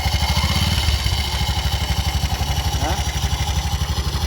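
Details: Bajaj BS6 auto that has run with this noise since another mechanic fitted a timing chain: uneven idle with dry rattling chatter about four a second, timing chain rubbing, worn, touching and holing the case so oil leaks out.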